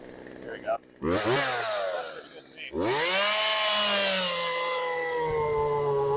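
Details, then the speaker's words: Craftsman chainsaw that sat outside for years, revived, after turning idle down and richening the low-speed mixture slightly: catches, revs up and settles into a strong, even high-speed run with steady pitch; normal running. "turn the idle down a little bit we're gonna do is just give it a smidge more on the low and I think we'll be good"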